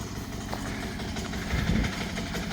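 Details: 178F 7 hp Chinese single-cylinder diesel, after crankcase vent and valve cover gasket repair for hissing and oil leaks under hard load: steady, even idle thump with no hiss or leak after about an hour; normal idle.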